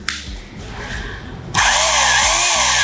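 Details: Mollar HD826 800 W SDS Plus hammer drill in rotation-only mode with hammer off: motor spins up to a steady high whine with no hammering pulses, smoother with no vibration; normal drill-only operation.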